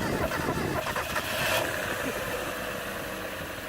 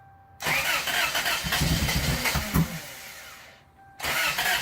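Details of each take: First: 1996 Mazda Miata Special Edition after tightening up and priming the fuel rail: catches and settles into an even, steady idle with no stumbling or misfire; normal startup and idle. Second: 1992 Toyota Corolla after cylinder head work and reassembly, muffler removed, owner says timing set correctly: fires after short crank, runs loud and ragged, kept alive only with heavy throttle, won't idle; cause undiagnosed.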